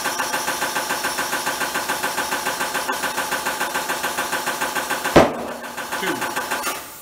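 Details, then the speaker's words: Tire changer bead seating on a rim with the valve core removed: steady pulsing of the inflation pedal about four times a second, then a sharp pop and a softer second pop as bottom and top beads seat. "we're going to step on that and it's going to force air into the tire and we're listening for two pops one two that's the bottom bead and top bead sometimes you'll hear more than that because sometimes the bead seats in two parts but we need to hear at least two"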